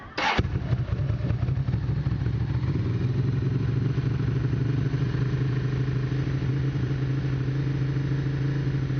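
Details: 1992 Ducati 750SS twin: starter whirrs briefly, the engine catches at once and settles into a steady, even idle, starting and running properly.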